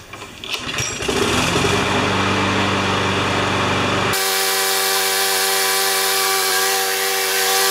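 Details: Sears Quantum-engined Platinum mower found behind a garage, first start after work: single-cylinder engine catches after a brief pull, then settles into a steady, even run with no misses or surging; normal running.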